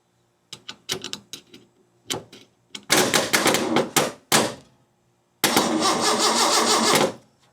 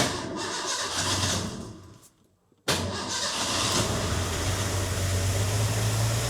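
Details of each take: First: Freshly rebuilt 300 inline-six in a 1984 Ford F150 at first start: repeated bursts of slow cranking with no firing; the owner suspects no spark or fuel. It turned out the key was not switched on. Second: Freshly rebuilt Ford 300 inline-six in an '84 F150, first start after fixing key-on no-spark: cranking fades, brief pause, then engine catches and settles into steady even running before cam break-in.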